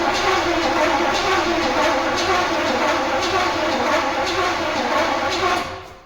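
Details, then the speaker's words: Turbo Trans Am, Swiss-market car, first start attempt after years of sitting. Distributor was checked; the owner suspects no signal from the ECU/spark control module and tries a jumper. Starter churns steadily at about two beats per second but the engine never catches: crank, no start, no ignition. "So after checking a lot of stuff, there is still no ignition."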